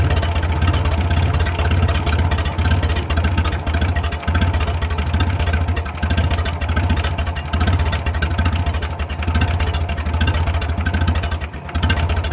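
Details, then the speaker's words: 1937 Willys flathead engine running after 25+ years sitting in the woods: low, steady idle with deep, even chuff, no knocking, valves barely ticking; runs like new. "That thing runs like a brand new one. There ain't no knocking, you can just barely hear the valves ticking just a little bit."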